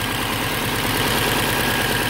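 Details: 2005 Subaru STI flat-four at idle with code P0216 (intake manifold position sensor circuit low): quick steady knock over the uneven beat, loudest on the passenger side; owner suspects intake manifold sensors or gasket, cause unknown.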